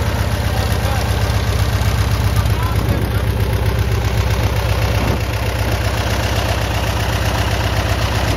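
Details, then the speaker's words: RV-8 (N623RJ) aircraft engine on first engine start, after oil pressure, temperature and fuel pressure with boost pump checked; idle carries a regular wob-wob whopping pulse about four times a second over the drone, running a bit unevenly, cause unclear. "yeah that's about we bus sounds like it's w w w w whopping a little bit"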